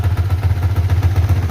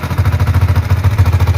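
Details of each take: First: Yamaha Vixion NVL after the cylinder-head ticking was fixed and oil now reaches the head; leftover oil is burning off as smoke. Steady, even idle running slightly high with no top-end ticking. Normal idle, slightly high. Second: Yamaha Vixion NVL, kick-started because the starter failed: fast, light metallic ticking from the cylinder head at idle. It is suspected to be loose valve clearance rather than seals. Valve train tapping from oil starvation.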